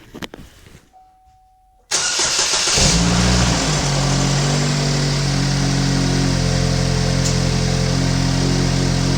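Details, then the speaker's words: 2015 GMC Terrain with a P0010 code: the starter whirs, the engine catches and settles into a raspy, puffing idle with a steady hum. Exhaust is escaping from a split in the side of the muffler. "so the exhaust leak is on the muffler from when I was checking down there which is and the engine sounds pretty quiet"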